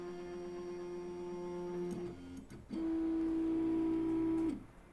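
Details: Pirate3D Buccaneer 3D printer production sample on power-up: two runs of steady, high stepper whine with a short pause between. Axes home cleanly; an earlier buzzing noise of unknown source was noted.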